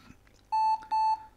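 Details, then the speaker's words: 20-year-old IBM ThinkPad R40 type 2722 laptop at power-on: two short high-pitched beeps, a POST error traced to a failed hard disk (disk 0 fail); BIOS battery also dead. "but I can hear a strange sound oh that's not promising at all"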